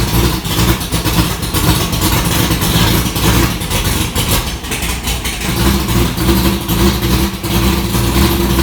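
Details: 1965 Ford Falcon race car V8 with tight headers and valve covers off, first start after the wiring was done: it catches and settles into a lumpy, loud but steady idle with a few light throttle blips. Sounds healthy.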